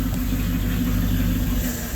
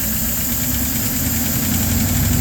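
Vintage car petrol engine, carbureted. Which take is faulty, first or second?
first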